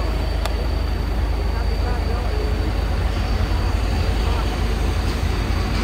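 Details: Isuzu Giga FVZ 285 PS trailer-truck diesel that would not start after rolling over on the Gentong climb, now idling after the weak battery was replaced: a steady, low, unbroken rumble with no misses or knocks.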